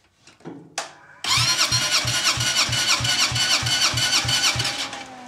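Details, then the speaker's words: CFMoto 250cc 172MM (GY6-type) single after a head rebuild, cranked by the starter during a compression test: light, quick strokes with little resistance. Gauge reads about 105, still too low; valves likely need adjusting again. "Okay, so the gauge is reading about 105, so that's still too low."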